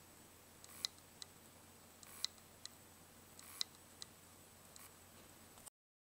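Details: Western Digital WD3200BEVT-75ZCT2, a 320GB 2.5-inch hard drive, is dead: sharp double clicks about every 1.5 seconds over faint hiss, the click of death.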